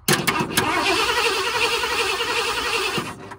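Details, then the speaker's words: 1978 Ford Bronco Ranger XLT 400 V8, sitting 20+ years and unrun for over a decade, cranked without fuel before trying to start: brisk, even, strong cranking for about three seconds without firing; a healthy crank. "All right, that's a good healthy crank."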